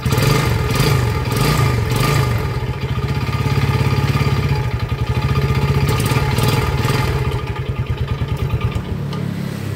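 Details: Yamaha Jupiter Z, before repair, no smoke and dry exhaust, crankshaft previously repaired on the clutch side; under repeated throttle blips a rough, rapid clatter that grows heavier with revs; worn connecting rod knock.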